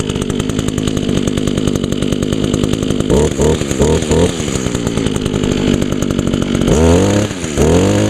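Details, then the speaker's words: 2002 Echo SRM 2400SB slip-boom trimmer, 13 years old, started on choke after priming; a little smoky from a fogged cylinder, muffler clean; revs cleanly on throttle blips and settles back smoothly. Healthy running. "yeah a little smoky because I foged the cylinder with Jeep creep on this one the muffler is all clean though y he runs real good"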